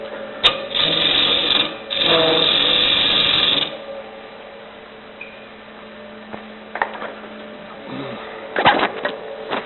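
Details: Wood lathe at about 1,300 rpm, freshly sharpened tool turning a travel mug blank with an out-of-round hole: two steady hissing cuts with no chatter, then quiet spindle hum; clean cut.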